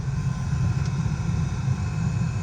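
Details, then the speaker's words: 2016 Honda HR-V cabin blower at full fan speed after replacing the noisy, weak blower motor: smooth, steady low rush of air with no ticking or flutter; normal blower motor. "Turn it all the way up. Works. Wow. And you can hear there's no more noise."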